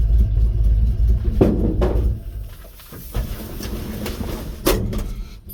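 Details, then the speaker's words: 1950 Ford F1, Flathead V8 8BA, test drive at about 45°F after replacing the exhaust manifold gasket and the missing header bolts: even rumble rising and falling with throttle, no puffing or ticking, nice and quiet. "oh yeah nice and quiet quite happy about that fogging up the windows"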